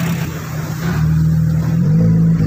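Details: 2017 Toyota Vios with stalling, rough idle, vibration and low power, no check engine light, after new spark plugs and coils failed to help and a further part was replaced: smooth engine note rising evenly under throttle, no stumble or misfire; misfire now gone.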